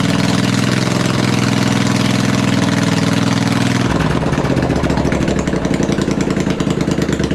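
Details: V-twin engine on a homemade machine, running open with no muffler, cold sunny day: loud twin drops from a fast run to a deep, even, throbbing idle with no misses; healthy engine.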